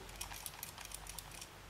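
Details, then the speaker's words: New Quest brake controller straight out of the box, shaken by hand before installation in a truck: light irregular plastic clicks from a loose part inside the case, not the buttons, which were held down. "you can hear that something rattles inside no it's not the buttons"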